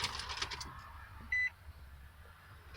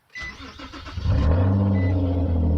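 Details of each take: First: Nissan Sentra SE-R with a head gasket leak, freshly charged battery and starting fluid sprayed: door chime, a short crank, then the engine catches about a second and dies; later started with repeated cranking and throttle taps. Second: Car with a head gasket leak, engine cold, after Blue Devil Head Gasket Sealer was poured into the radiator with the heater on max: brief cranking, then it catches within about a second into a firm, even idle.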